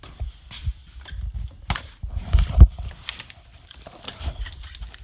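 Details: 1997 Chevy Blazer idling with an uneven, stumbling low thump and irregular loping exhaust pulses from a misfire on cylinder 4.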